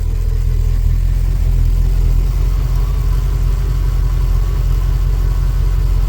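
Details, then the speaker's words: Ford BA Fairmont V8 at first start after timing chain replacement: smooth, even idle with a steady low rumble and none of the previous continuous ticking or rubbing from the front; sounds healthy. "It's not making the sound on idle. It was continuously going like tick tick tick tick tick tick rubbing."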